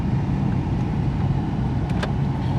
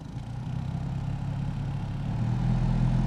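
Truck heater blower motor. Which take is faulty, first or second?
second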